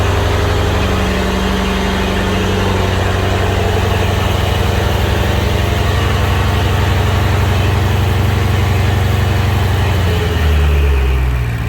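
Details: BMW 650i N63tu twin-turbo V8 (Pure Turbos stage 2, E40 tune) idling after high-output ignition coils were installed to cure boost-related misfires; deep, steady idle with an even pulse and no stumbles or dropouts, running smoothly on all cylinders.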